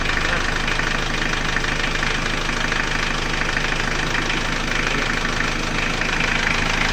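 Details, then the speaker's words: Chevrolet Trooper diesel after engine rebuild, run a while, thermostat installed, engine warm at 75°C: even diesel clatter at steady idle, no knock or miss; healthy. "ini setelah diturunkan suaranya seperti ini ini sudah kita hidupkan sudah agak lumayan lama dan termostat sudah kita pasang temperatur mesin 75 derajat Ya sudah panas"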